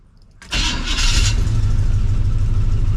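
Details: 1975 Chevy C10 454 big-block V8, next morning after the starter was shimmed with a big washer on the inside bolt: starter spins briefly without grinding, engine catches cleanly and settles into a steady, lumpy idle; normal start.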